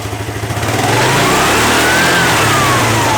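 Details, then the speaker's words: Piaggio Vespa ET4 scooter stored unstarted for years, needing transmission and engine work; it revs slowly to a peak and falls back without snap, sluggish to pick up; cause not yet found. "doesn't want to rev. You know what I mean? When it's on it, it should go in and shoot off, but no."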